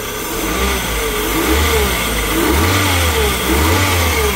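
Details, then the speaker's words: 2010 Fiat Uno Fire 1.0 with automatic tensioner, alternator belt removed: dry whirring bearing rumble rising with revs, like a tight belt; worn water pump bearing, pump and timing kit replaced; alternator bearings previously replaced. "não sei se no vídeo vai ser possível ouvir mas é audível um barulho de rolamento assim como um barulho como se fosse Correia esticada"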